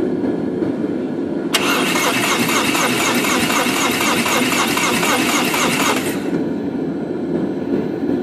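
A car engine runs roughly, with a pulsing high-pitched whirring for a few seconds before settling to an uneven idle. Cause suspected, not confirmed.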